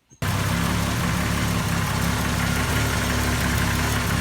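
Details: CM Valiant petrol engine started after being reassembled with new gaskets, idling smoothly and evenly with a steady low rumble and no knocks or hisses; normal idle.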